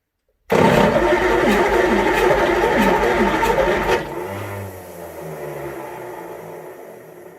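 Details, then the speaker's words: Fordson Major tractor with Perkins V8 diesel, first start attempt after a long lay-up, intake covered with wood blocks: loud whirring grind about 3.5 s fades without catching; lower solenoid's metal bar not lifting so starter won't engage. "Alright, so I've had a little bit of trouble with the starter. Been having a play with it. What I've found is when the solenoid's engaging up here, this bottom one, it needs this little metal bar here. It's not clicking up to allow the starter to engage."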